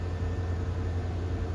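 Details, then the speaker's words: Ford F-150 V8 pickup, started dead cold, settles into a steady low rumble at an even idle with no knocks or misses and good oil pressure. The cold idle is normal. "It's dead cold. Oh, look at that. Actually, it runs pretty good."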